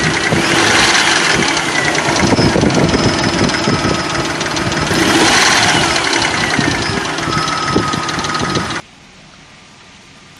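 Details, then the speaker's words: 2004 Nissan Frontier VG33E V6, about 183,117 miles, warm idle: fast light rattle about three per second over engine roar; most likely a hydraulic lifter, though timing belt tensioner bearing still to be checked; unconfirmed. "making sure that it does not make this rattling noise once it warm up this is what we're gonna hear and that will give us a sign that it's most likely a hydraulic lifter"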